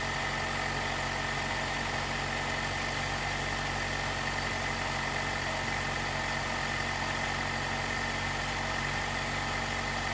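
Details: 2018 Jeep Wrangler JL, 2.0L turbo, after replacing the timing chain tensioner to cure a rattle on cold startup: smooth, even idle hum with no rattle or ticking, quiet and healthy.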